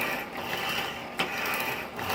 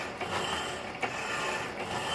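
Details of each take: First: 1916 Diamond Saw Works power hacksaw driven by 1915 1/4hp Century Model RS motor, cutting bar; steady sawing rasp with sharp click at each stroke end, about every 1.6 seconds, from worn frame pin bushing. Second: 1916 Diamond Saw Works power hacksaw, newly fitted with a 1915 1/4hp Century Model RS motor, cutting flat bar at just over 60 strokes a minute: an even mechanical whir with a stroke about every 0.75 s. It runs smoothly with no labouring or grinding.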